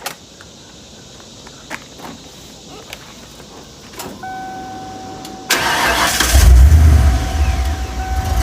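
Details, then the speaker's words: Ford 302 V8 after an engine swap, restarted after its rough-running fault was sorted out: quick crank, then it catches and settles into a deep, steady, healthy rumble. Normal start and idle. "so what i'll do now is i'll start it up now let you hear what it sounds like after i've got it all sorted out"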